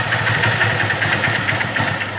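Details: Single-cylinder motorcycle just rebuilt with a new bore, fresh oil, a new silencer gasket and other new gaskets. Steady, even idle with light regular ticking and no knocks or rattles: running smoothly. Light silencer smoke may appear for 10–15 days, and it should not be raced.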